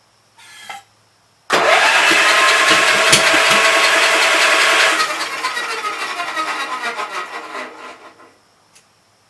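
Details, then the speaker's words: Gravely Pro 12 tractor, remote air cleaner left open (owner suspects water got in): fast free hollow whirring cranking, no compression pulses, winds down, firing back out the intake; stuck intake valve, no compression. "SOUNDS LIKE IT'S GOT A STUCK VALVE. YEAH, I'M PRETTY SURE THE INTAKE VALVE STUCK. It's firing back out the intake."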